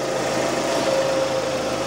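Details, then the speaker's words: 2006 Suzuki Forenza after cylinder head replacement for bent valves from broken timing belt, first start, coolant topped off, no leaks; smooth steady idle hum, no ticks or misses, sounding fine. "everything is sounding fine let me go ahead and Crank It Up okay sounds pretty good"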